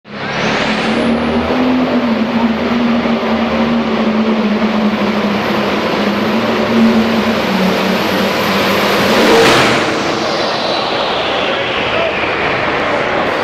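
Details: Pulling tractor under load in a pull: loud steady roar with high whine, then sudden surge and cut near ten seconds as driveline breaks, leading to engine over-rev that destroyed the engine.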